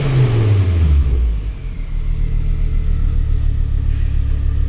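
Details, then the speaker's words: Ford Focus ST with no-boost fault code P0238, after repairing the wiring loom: engine revs up, drops back cleanly and settles into a smooth, even idle; boost sensor reading normally, fault fixed. "you can see that's working all fine there now so I'm pretty happy with that"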